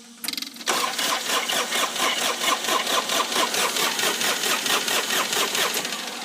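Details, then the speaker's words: Dixie Chopper XWD 2600 diesel mower, about 1,700 hours, ran out of fuel: starter cranks in a steady chug about twice a second and never fires; crank no-start from air in the fuel lines, needs bleeding. "So we have air in the fuel lines. I ran out of gas."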